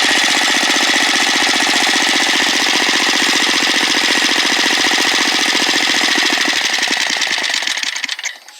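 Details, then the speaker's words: Small engine (mower/go-kart) carburetor, idle mixture screw turned back too far: buzzes evenly, then stumbles and dies after about seven seconds; idle mixture set too lean; stall from lean idle mixture. "if it's turned back a little bit. It's the most sensitive at idle, and it will kill the engine off."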